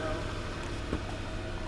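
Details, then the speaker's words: Salvage auction car started on a jump: steady, even low idle with no knocks, ticks or stumbles; runs good, no battery light despite suspected bad alternator. "oh it sounds nice that's I mean that's exactly what I expected though I expected to do exactly that she runs good"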